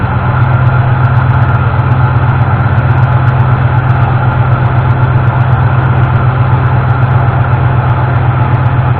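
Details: 1988 Ford F-150 V8 in neutral with a timing light attached, after the broken distributor-side ignition module was replaced and the engine retimed: smooth, even low rumble, no stumbles or missing; normal idle.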